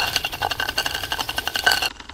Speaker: The um the popping and crackling that you can hear is where the oil and the water is running down inside the flu um down into the firebox.